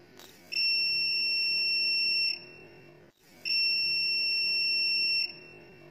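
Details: Sunshine 30 A short killer burning out a shorted phone board that would not power on: two long, steady high-pitched beeps of about two seconds each as current is driven through the short; burning smell follows and the short is removed.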